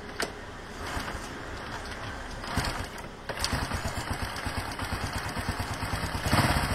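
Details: Wave 125 small single starting and idling: soft, even patter with no ticking from the valve cover; sounds healthy.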